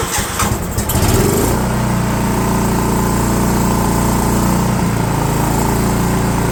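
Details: DR all-terrain mower with Kawasaki FV420V engine, revived after sitting for years; carburetor jets sprayed with brake parts cleaner, gaskets possibly leaking. Catches after a brief rough start, then settles into a steady, even idle. Running better.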